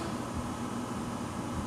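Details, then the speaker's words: Newly delivered PM-950V variable-speed 2500 lb milling machine, power feed running after oiling: low, steady hum, even drone with no grinding, clicking or surging; runs smooth. "So it sounds good and smooth. I oiled the only two places I could find."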